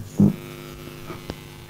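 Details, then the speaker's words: Homebuilt amplifier on a newly fitted junkbox transformer with less effective filter capacitors: steady low mains buzz that stops when the room lights are switched off and returns when they are switched on; mains hum picked up from room lighting. "now as you can probably hear it's buzzing again I know what the cause of the buzz is if I turn the lights out as you can hear the buzzing has completely stopped when I turn the lights on again as you can hear the buzzing comes back"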